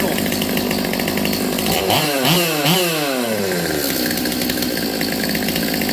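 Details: Stihl MS200T chainsaw, previously boggy, after low-speed jet set three-quarter turn out then slightly rich: snaps up to high revs and drops back cleanly to a steady idle without bogging; runs properly.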